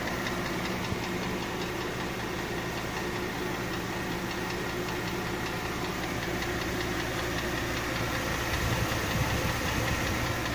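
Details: 2005 Mercedes ML350 engine at idle: light, fairly steady tapping of two or three knocks a second from inside the engine, cause unknown.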